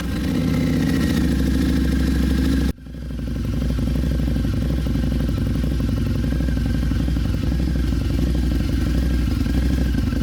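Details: 2014 Harley-Davidson V-Rod Muscle just after installing a Dynojet Power Commander 6 piggyback fuel tuner; deep regular pulses, revs drop sharply then settle into a steady, even idle with no misses. Normal idle and rev.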